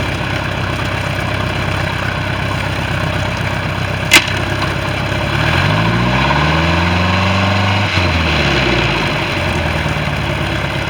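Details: Bayliner boat with a 3.0 Mercruiser sterndrive, final running after the electrical issue and exhaust leak were repaired: even idle, and a quick rev rises and settles back cleanly with no misses or rattles. The engine sounds healthy.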